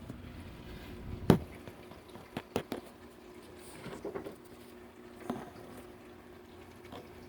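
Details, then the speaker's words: CadLights PLS-50 Elite II protein skimmer on a 29-gallon reef tank with 15-gallon sump, running about 3 months: quiet room with irregular watery gurgles from the overflow and no audible pump hum; skimmer near silent. "So, yeah, you hear that right now, gurgling noise, that's my overflow. You don't even hear this thing."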